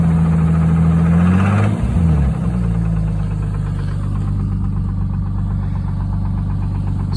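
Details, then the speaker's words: 1989 Jeep Cherokee 4.0 inline-six, warmed up, oil pressure dropped to about 20 psi: revs then idle with faint regular diesel-like knock; owner suspects rod bearings, piston slap or lifters; no performance loss; cause unidentified. "And as you see now, it's warmed up. It's dropped down to about around 20. You can hear the slight knock now."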